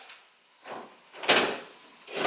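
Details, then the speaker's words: Nissan 350Z trunk latch closing after repair: a few short solid clunks as the lid comes down and the latch catches cleanly, no grinding or buzzing; the trunk had stopped latching after drifting, and the fault was traced to the latch actuator. "works sweet I just saved myself let's see if this button works"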